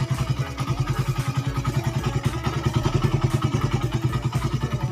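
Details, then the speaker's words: Suzuki Satria FU 150 cc that ran rough, weak and thirsty after another shop fitted the cam chain with wrong timing: after re-timing and setting valve shims, it idles with even, regular exhaust pulses and no knock or rattle. Normal idle. "Sim-simnya ukuran simnya X-in hanya seperti itu, dan ini kondisinya udah halus ya lur."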